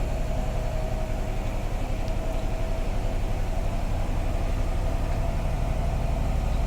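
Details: Bosch WAT2846SIN 8 kg washing machine on spin at maximum 74 dB: deep steady hum with quick even thumps about four per second and faint motor tone; normal spin cycle.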